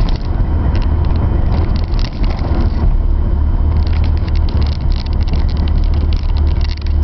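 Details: Mazda RX-7 FD3S rotary: loud, low drone with uneven dips and stumbles instead of a smooth hum, indicating a misfire.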